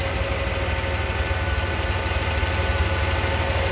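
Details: Truck's 4.3 L throttle-body V6 started after a DIY Amsoil oil and filter change, warming up while checked for leaks: smooth, steady low hum at idle with an even pulse and no knock or tick; normal idle.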